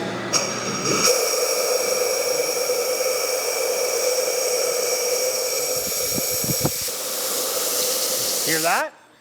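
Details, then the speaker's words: Hydraulic cylinder rebuild, air blown through cushion port: steady air hiss changes as the cushion needle valve is turned in, then cuts off with air returning; needle seating and sealing properly. "So, that sound is uh you could hear that it's closing it and then the all the air is coming back to me. So, it's saying that this needle is able to go in and and shut off the air."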